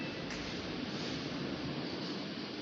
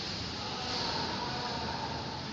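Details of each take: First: Samsung washing machine on spin: steady rushing with a soft thump about once a second as the drum visibly vibrates and wobbles; loose drum spin nut. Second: Samsung washing machine after repair of a spin noise issue, spinning at 700 RPM; steady, even whir with no knocking, banging or scraping, much quieter than before; normal spin.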